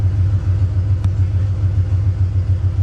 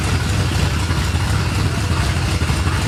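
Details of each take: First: 1989 Ford F-150 V8 after throttle blade angle adjustment and timing rechecks, warming up before reaching operating temperature: low, steady idle in the 700s rpm, down from 1200, with even pulses and no misses or knocks; normal idle. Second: 1989 Ford F-150 V8: lumpy, choppy idle at about four pulses a second, like a dead cylinder or big cam, engine loud overall; rough idle.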